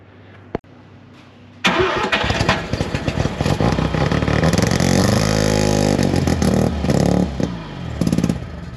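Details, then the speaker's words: 1971 Mazda RX4 coupe race car, 13B rotary, long parked, points distributor, first start: fires after brief cranking then runs lumpy, uneven and surging; motor full of trans fluid and carb filled with E85; rough running. "oh some weird reason it just kind of started the first kick and the mode is full of trans yeah the motor's full of trans fluid and the carb is filled to the brim with the 85."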